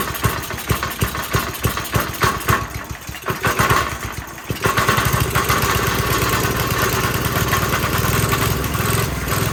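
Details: Briggs & Stratton 5 hp engine on a generator, after reassembly with the exhaust refitted: fires with uneven chugs, stumbles and surges into a rough hunting run, won't hold speed; starts but won't keep running. Owner suspects the governor arm position.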